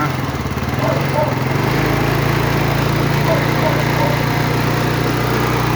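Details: Yamaha Fino scooter after timing chain dropped, chain tensioner extended as a temporary fix (chain likely stretched), valves reset, battery charged: starter churns briefly, engine catches at about two seconds and settles into a steady, even single-cylinder putter.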